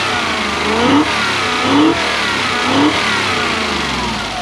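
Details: Toyota 1UZ-FE V8 in Surf/4Runner, previously running on 4 cylinders, after fixing coil/lead fault: smooth revs rising and falling three times with clean steady note; now firing on all eight cylinders.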